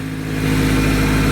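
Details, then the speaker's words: Honda Civic D16Y7 in 14°F cold, right after a first-time timing belt replacement (cooling system not yet bled): smooth, even idle, steady low hum, no ticks, knocks or whine; purring like a kitten, though it tends to die if not started for a few days. "sounds good it might start dying because it normally does if I don't start it in a few days no weird noises purring like a kitten"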